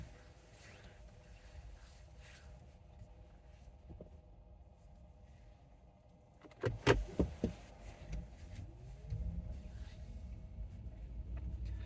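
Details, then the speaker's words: 2019 Chevy Bolt on slow left turns around a parking-lot island at 50°F: quiet electric drive with a couple of dull bumps but no creak. The creak occurs only on low-speed right turns. "Okay. So that was 2 times around again, but going left. So it didn't happen at all going left."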